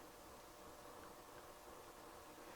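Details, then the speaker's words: Sony STR-230 receiver with FM tuner fault, set to silent tape or phono input: steady hiss with faint buzz through the speakers; noise from the tuner backfeeds into the amplifiers. "The noise from the tuner itself is backfeeding into the amplifiers and coming out the speakers, even though there's no signal on phono or tape, right?"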